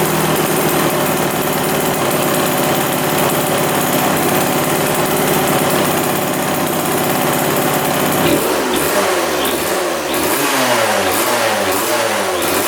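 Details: 1999 Suzuki RM80 two-stroke dirt bike that wouldn't restart: steady buzz, then the note breaks up and fades in uneven surges as it stumbles and dies; intermittent stalling.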